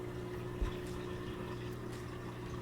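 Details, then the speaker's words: LG washer/dryer combo that was not draining, after drain motor replacement and fixing a bent motor terminal that made poor contact. Steady low electric hum with water gurgling as it pumps out. Normal drain pump operation. "And now when I checked for the drain function, I could hear the drain motor kick in. I could see the water draining out, so back in business."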